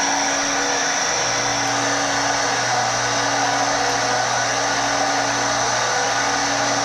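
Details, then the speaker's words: Stenner peroxide injection pump for well water, just after its leaking tube was replaced and the roller position adjusted level; a steady, even motor whir with a constant hum and no knocks or surging. Running perfectly level; normal running. "Ours is running, I would say, perfectly level or straight or whatever."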